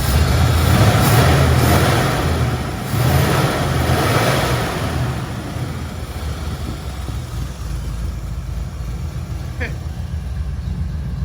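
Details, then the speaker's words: 1977 Mustang Cobra II with Hooker headers and air-fuel gauge, bought as a blown motor: deep, even rumble settling at idle with steady firing, no misses, knocks or hunting; idle about perfect, engine healthy. "Idle's about perfect."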